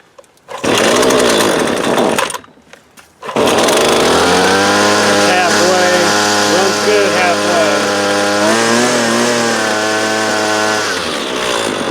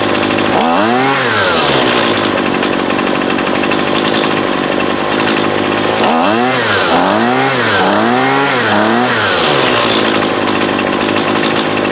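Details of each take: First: Husqvarna 128LD 28cc two-stroke straight-shaft trimmer, warmed up, string fully extended for load: it buzzes high and steady on choke, then sags and stalls once the choke is opened. The carburetor is out of adjustment and needs a basic carb adjustment. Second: Husqvarna 128LD 28cc two-stroke trimmer, warmed up, after low-side carb adjustment (previously wouldn't idle even with choke open): idles evenly, blips to high revs cleanly and drops back smoothly; running great.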